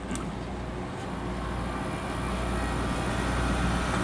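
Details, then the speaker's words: Carrier International series 6200 BTU air conditioner with Daewoo compressor and General Electric fan motor, just installed, compressor started after fan-only: low even hum building smoothly, no rattles, knocks or clatter; normal compressor start. "This is a 6200 BTU with a Daewoo compressor and a General Electric fan motor."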